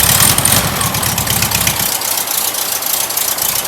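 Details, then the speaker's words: Rebuilt VW air-cooled flat-four "sidewalk motor" on first start: steady, even idle with a loud hissy exhaust over it from a noisy muffler, engine itself quiet with no knocks or ticks; normal idle. "Like I said, the muffler's a little noisy, but the motor's nice and quiet. Yeah, it is."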